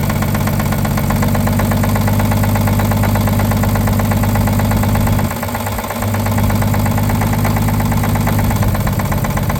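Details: 1950 Chevrolet 3800 one-ton with Chevy 235 six, abandoned since 1977, rough idle with steady knock about three per second over low rumble; full 60% oil additive did not remove it: worn rod bearing knock.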